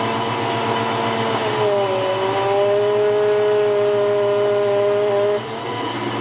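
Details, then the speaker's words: 1993 Ford Mustang GT foxbody, Coyote swap with hydroboost, after fluid change and line rerouting, brake pedal sinking on start: clear steady whine rising as wheel turns, holding until released; power steering pump whine suspected. "I can hear the whining and here's what happens when I turn it"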